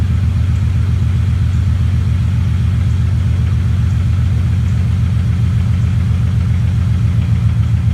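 Steady V8 idle with an uneven, lumpy pulse roughly four times a second, a cylinder dropping out; that's a misfire.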